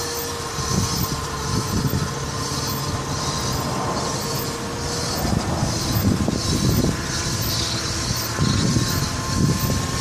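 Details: Nissan Altima Coupe after front driver-side wheel hub replacement: metallic squeal and scrape pulsing about once per wheel rotation, found to be the heat/dust shield hitting the brake rotor; shield was removed.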